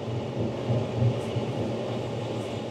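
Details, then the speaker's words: Land Rover Discovery 3 worn front wheel bearing: deep, droning tire-like hum with a slow wow-wow pulse whose pitch rises in proportion to road speed, not engine speed; bearing was replaced. "平时你在路上开车的时候如果你听到某一个车轮发出“嗡嗡嗡”的那种声音非常像胎噪的声音"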